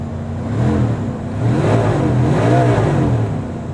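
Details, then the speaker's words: 1981 Chevy G30 Lazy Daze motorhome, V8 thought to be a 351, 55,000 miles, cold start at 35°F after sitting about a month, weak battery: idles evenly, revs and settles cleanly with no knocks, ticks or misses. Normal running. "sounds good to v8 I think it's a 351 or something like that 351 Chevy v8 like"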